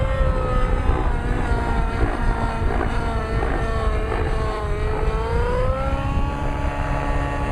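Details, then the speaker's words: Nitro RC engine, lean high-end needle: high-pitched whine sags and goes raspy under load, loses smoke and power, recovers slowly off throttle; lean mixture. "That's a very good indication of a lean motor."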